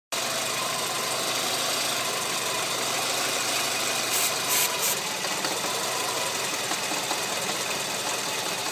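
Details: Renault Megane 1.6 16v petrol idling with a steady, loud airy hiss from a vacuum leak drawing false air.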